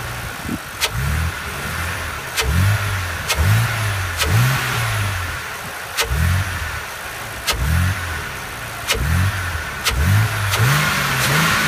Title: BMW e86 Z4 engine noise from engine bay